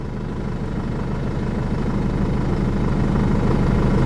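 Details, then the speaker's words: Jeep Liberty diesel after top-end and timing rework, with an intermittent stalling and stranding problem, restarted after clearing codes with a scan tool: starts right up and idles with an even, steady low clatter, no stumble or hunting; sounds good. "okay so started right up sounds good"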